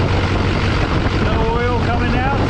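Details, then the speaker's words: LLY Duramax diesel first start after new turbo, exhaust and intercooler, intake open and not hooked to intercooler; thin whistle climbs and wavers over steady idle as turbo spins freely moving air, good oil pressure; normal turbo spool. "got a little bit of a weird sound just because nothing's hooked up our turbo is spinning we are getting some air out of it"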